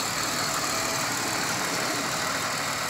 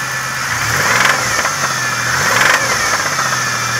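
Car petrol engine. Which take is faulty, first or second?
second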